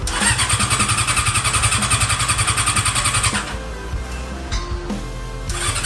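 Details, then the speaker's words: Honda CB400 four-cylinder with four square carburetors in an off-road golf cart. It pulses and revs unevenly, then sags and stumbles as the throttle drops and won't idle. Carb sync is close but not exact; owner suspects it isn't firing on all cylinders, cause unknown. "ก็มันเบิ้ลได้นะครับมันเบิ้ลได้สุดเสียงเลยแต่ว่ามันเดินเบาไม่ได้ครับ"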